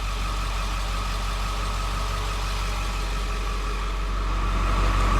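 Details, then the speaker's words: 2001 Ford Excursion after transmission rear seal fix, running on lift with rear wheels spinning: steady low engine and drivetrain hum with faint whir, no squeal. "well now she's running and she's actually you know she's going nowhere fast but what you don't hear is the squeal"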